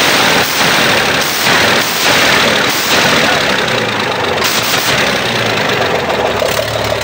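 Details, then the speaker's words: Weichai diesel engine after repair for backfire and glowing-hot exhaust (injection pump replaced under warranty, injectors replaced), on test drive: strong steady clatter pulling clean, no smoke, no backfire, power restored; normal running. "Okay na siya mga tools. Power na. Wala ng usok, wala ng backfire."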